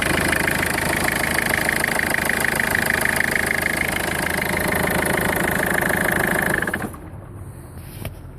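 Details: 2004 Peugeot 1.4 HDI diesel idling with a strange noise, a high whistle and a steady tapping about three times a second, then shutting off; source unclear.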